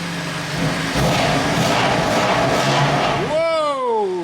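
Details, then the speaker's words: Crash-damaged BMW M2 Competition in Sport Plus with exhaust valves open, no oil or coolant leaks seen: loud raspy roar, sharp rev climbing and falling back cleanly; very loud exhaust, healthy rev. "that is loud it's very much giving me C63 pipes here not the noise itself but the fact that it's really quite unidal but when you rev it it's ridiculously loud"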